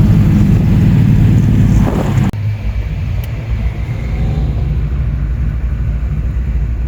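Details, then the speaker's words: Camaro V8 on a test drive, running fine with timing set at 37.5 degrees; deep, even rumble under way with smooth pull and no misses or knocks, engine running well. "our test drive seems to run fine uh timing's at 37.5"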